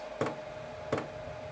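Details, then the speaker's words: Chinese diesel heater after glow plug replacement, lighting up: crisp single fuel dosing pump ticks roughly every 0.7 seconds over a faint steady hum as the pump starts once the glow plug is hot; normal fuel pump clicking. "there we go that's our fuel pump started oh what a happy sound I never thought I'd ever thought I'd be pleased to hear that noise"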